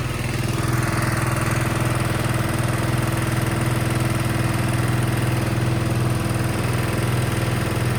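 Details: Sykes GP80 diesel water pump with Lister TR1 engine, auction buy, idling after first start: even, regular low thump holding pace, no stumble; loud, rattling the floor; battery 12.6V before, 14V running so charging works; normal idle.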